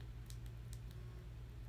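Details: Severely bent iPhone 6 Plus, 64 GB: four crisp, light clicks within about a second over a faint low hum, heard as the normal home-button click on a comparison iPhone; the bent phone's button gives no click.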